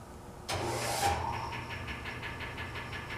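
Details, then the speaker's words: 1920s Century repulsion-start induction electric motor, identical to one being troubleshot for a no-start hum; brief rush on kick-over, then a steady high hum with even pulse coming up to speed; normal startup. "That startup you just heard was another motor exactly like this one. That's the sound we hope to get from this one."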